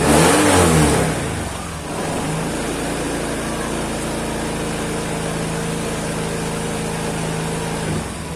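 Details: Honda Beat scooter fitted with a 54 mm piston, decompressor not installed, on a new battery at about 13 V: starter turns slowly and heavily about a second before catching and settling to steady idle; labored cranking from high compression.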